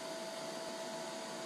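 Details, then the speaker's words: New Lincoln Aspect 230 AC/DC TIG welder, DC pulsed welding of 304 stainless at 1,000 Hz pulse: steady shrill unvarying buzz over arc hiss; normal but very loud, earplugs advised. "you can tell how annoying that is you're definitely gonna be wearing earplugs if you're welding with that setting"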